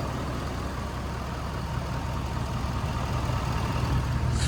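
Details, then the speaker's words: 6.7 Powerstroke diesel just after a CAT oil filter conversion, a fuel filter conversion and fresh 5W-40 oil (about 14 quarts). A deep, even idle rumble with no ticking or clatter. Normal diesel idle. "turn the gauge on no clickety-clack like I hear a bunch of people saying that they get smooth real smooth it's at 5W30"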